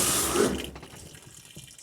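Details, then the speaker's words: Off-grid washing machine on solar power filling on cold well water: steady rushing and splashing into the drum, no knocking or hammering; normal fill. "Starting to fill, and we'll see how it does."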